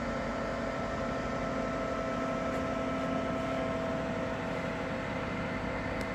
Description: Ninja Foodi 8 w 1 - nieznośne hałasy z urządzenia po rozgrzaniu (nagranie 1 urządzenie zimne).